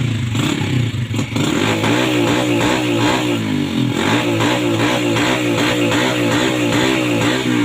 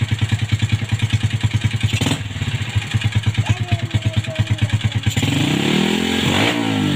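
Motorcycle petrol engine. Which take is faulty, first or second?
first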